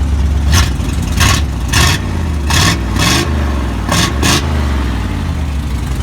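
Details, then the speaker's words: Big Bob truck after replacing the old muffler with a newly welded temporary exhaust: deep steady rumble with several sharp revs rising and settling cleanly, no rattles or leaks, much better than before; healthy exhaust note. "Oh Big Bob oh yeah sound good much better than it was hell yeah [Music] Big Bob sounds good I'm real happy with"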